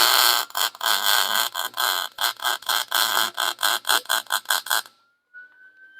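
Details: Lincoln 140 Pro MIG welder, after loosening the wire feed tension wing nut: arc crackle cuts out and restarts several times a second instead of a steady sizzle; wire feed is jerking.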